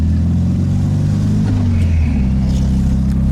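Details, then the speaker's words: 1965 VW Karmann Ghia, in for electrical repairs, accelerating in third gear around 30 mph: a low, slightly throaty but not loud drone that pulls smoothly as revs climb, with no misses, rattles or pinging; a healthy engine under load. "But this car, yeah, she goes. And it sounds nice. It's not loud, it's got a little bit of throaty sound."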